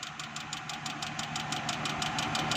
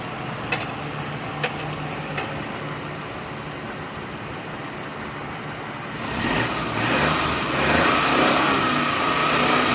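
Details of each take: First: Idling petrol car engine with a steady, sharp knock about six times a second over the running sound, checked with a stethoscope to locate the noise source. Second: Car engine being checked for a noise complaint using a stethoscope-style testing scope, started and given light throttle blips: revs up and down smoothly with no knock, normal engine revving.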